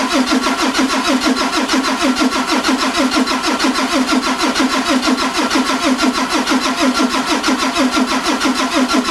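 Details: 2003 Ford F350 with a 2004 Cummins 5.9, freshly rebuilt and bored, with new pistons, rings, injectors, FCA and a FASS fuel pump: steady cranking at about two compression pulses a second, never firing. Crank, no start.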